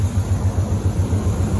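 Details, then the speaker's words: Chevrolet Monte Carlo V8, heard from the front: deep, even lope with steady low pulse, no ticks or knocks; quiet healthy idle, though a muffler hole elsewhere causes hissing and it leaks oil. "Man, it definitely was not that quiet, and it just runs perfect."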